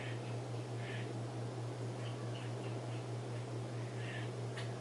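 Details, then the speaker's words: Antique Emerson Roundnose ceiling fan (about 1940s-1950s) on low speed. Steady hum with a slight wobble and audible speed-coil buzzing, even airflow, no knocks or scraping; it runs great for its age. "I'll run it on the variable speed control I have it hooked up to it does have a bit of a hum and a wobble as well as you can hear the speed coil buzzing"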